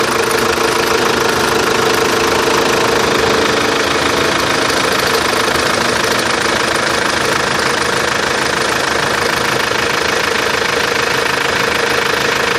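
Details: Chevrolet Captiva diesel, loud idle with a sharp regular clatter of about three knocks a second over the rumble; extraneous engine noise, cause unknown; engine knocking noise.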